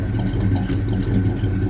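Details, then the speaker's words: 1984 Chevy C10 pickup V8, warm idle: a deep, even low rumble with a steady beat and no knocks or misses; healthy. "I I I love how this old truck sounds"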